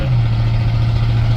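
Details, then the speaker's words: 1978 Chevy C10 with 305 V8, first drive in 10 years, exhaust cut off right under the cab, pulling down the driveway up to third gear: deep, steady, very loud drone; loudness from the cut-off exhaust. "we're heading down the driveway now um one thing with the gauge cluster being cleaned up that I've realized is the old speedometer don't work so we're just going to guesstimate it but let's see how we do a little loud I apologize for that"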